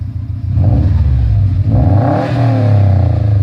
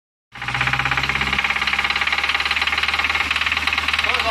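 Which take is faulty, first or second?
second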